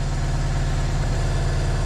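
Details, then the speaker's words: BMW E36 316i Compact with M43B16 engine idling after water pump, pulley and belt replacement: smooth, even idle, the earlier water pump rattle gone; a hissing sound, suspected vacuum leak, is now audible. "Wow. Hear hear the engine. It's working fine."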